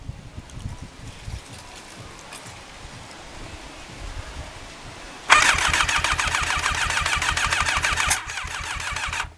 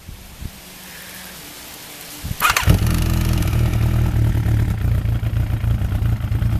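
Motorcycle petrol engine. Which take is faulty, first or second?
first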